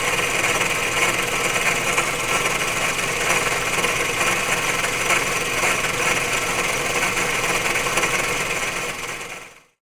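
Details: Running engine with a faulty water pump: harsh, saw-like grinding and rasping; it also overheated easily, and after pump replacement the engine became very quiet. Failing water pump bearing grinding.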